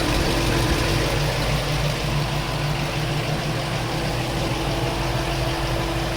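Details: LS-swapped Chevrolet K10 V8 at idle; light fairly regular tick about three per second, owner unsure whether header leak or valvetrain.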